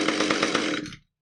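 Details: Husqvarna T435 top-handle chainsaw, after repair of anti-vibration springs that had stretched beyond their limits and caused a won't-start, won't-stay-running complaint. Crisp, even buzz at steady revs for about a second, then a clean shutdown; it runs normally.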